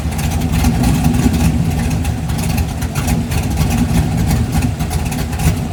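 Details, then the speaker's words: 1988 Ford Mustang LX 5.0 V8 fox-body budget drag car, revved after a home-welded exhaust redo: deep, loud rumble swelling with revs, steady firing with no knocks or rattles; healthy engine, just a loud exhaust. "It's going to be loud as hell."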